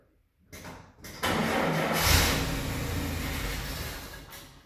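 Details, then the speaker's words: First start attempt of an engine newly installed in a vintage truck, having previously run only on a run stand, using key on, a little choke and accelerator. Short cranks, then it catches roughly, runs unevenly and fades; a barely catching start. "it kind of started didn't it"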